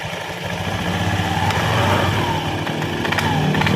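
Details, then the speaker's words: Honda Scoopy (K44) scooter, before repair, weak power and rough CVT sound: engine rough and buzzy as throttle opens with faint squeaks from the front roller area, possibly worn roller housing or loose ramp plate. "there's a squeaking sound, Kang. Bro, the squeaking sound usually comes from the front roller area, it could be from the roller housing which has worn out or the roller itself or from the mop."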